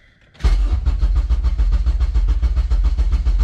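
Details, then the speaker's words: Honda Civic with K-series swap and Kpro, first start after saving calibration: starter churns about two beats a second with deep uneven chuffs, fires but won't catch cleanly and runs like garbage, dying instantly, running very rich; hard start, long crank. "She kind of fires on, but she runs like garbage."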